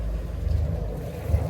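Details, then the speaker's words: 2003 Sea Ray 360 Sundancer, twin MerCruiser 8.1L Horizon 370 hp inboards (about 1,200 hours), heard from the stern by the exhaust: steady low burble at idle with splashing water, good water flow, no smoke; normal idle. "Good water flow, no smoke whatsoever. Look at the water flow, that's what we like to see."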